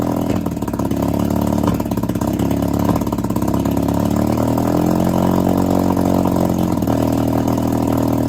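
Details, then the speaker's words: 1962 Viking 15 hp two-stroke outboard, running on a hose after refurbishment with new coils and set points: steady, even buzz that climbs smoothly with throttle; it sounds healthy. "Cool. It's uh It sounds like it'll run pretty well. So, uh, I'm happy with that."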